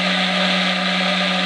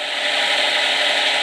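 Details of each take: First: Micro hydro turbine a few days after piping install, pressure dropping toward 50 psi from 60: steady whirring with water rush easing near the end as it loses speed; water supply not enough to keep the big nozzle fed. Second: Micro hydro turbine on the small jet; steady rushing water hiss with a faint even whir, turbine spinning slowly but smoothly with no knocks or rubbing; normal running at low speed.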